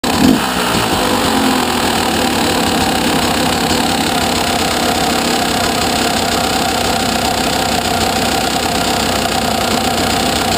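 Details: 2011 KTM 200XC-W two-stroke with 86 hours idling steadily with a fine, fast clicking in the engine note, louder from the engine than the exhaust; owner asks whether it is normal.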